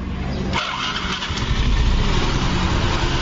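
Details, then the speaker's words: Yamaha Fino 125 after the valve clearance at the rocker arm was adjusted, with no engine teardown: quick catch on starting, then a steady low putter settling into an even idle with no tapping; the engine runs smooth again. "Nah, ini disetel klep aja langsung lembut lagi."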